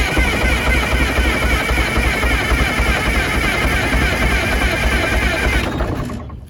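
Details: Motorhome engine, cold after sitting a couple days, usually sticks with white smoke: heavy uneven low chuffing around 220 per minute before dying away; possible exhaust leak noted; rough running after hard cold start.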